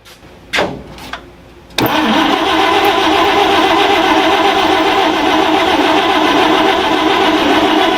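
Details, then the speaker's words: Ford Falcon Ranchero ("FalconStein"), start after revival work: a few clicks, then engine catches and settles into a fast, steady idle; runs pretty good but idle a little high, to tune later. "It's alive! It's alive! Again. Runs pretty good. Idle's a little high."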